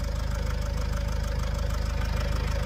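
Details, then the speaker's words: Vauxhall Vivaro / Opel 2.0 turbo diesel van at idle, owner suspects turbo failure: fast, even rattling pulses on a low diesel idle, steady throughout; clear mechanical rattle, source not pinned down. "somebody tell me what that is cuz that ain't right why is it rattling like that"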